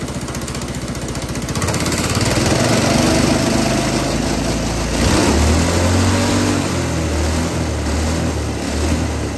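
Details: GX200 Honda-clone single-cylinder go-kart engine on hydrogen with pure water injection to cool intake valve and stop reignition: fairly even running rising and settling with throttle, occasional sharp backfire pops; much smoother, especially at operating temperature.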